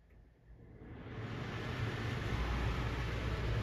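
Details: Airstream rooftop AC after cleaning dirty filters and grime under the cover and installing a condensate drain kit, power back on for a test: spins up then steady low rumble and airflow rush; runs normally and blows cold.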